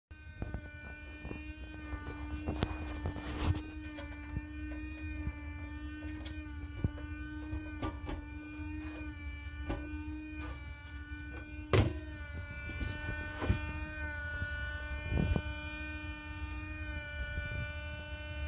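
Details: Lian Li Galahad 360 AIO liquid cooler, used 8 months: steady buzzing whine near 300 Hz over a low hum, unchanged with the radiator fans stopped by hand, so it comes from the pump; cooling still works.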